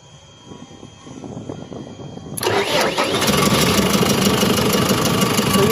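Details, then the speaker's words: Boom loader diesel whose starter won't work when hot, started by a direct wire to the starter; quiet for about 2.5 s, then it catches and settles into a steady, even run. "you can see now it's starting."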